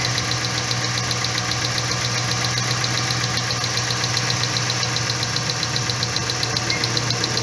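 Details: 2012 Dodge Ram whose complaint is jerking when hot, idling during coil 3 spark test; steady idle with regular ticking stumble two to three times a second, one cylinder dropping out, induced misfire.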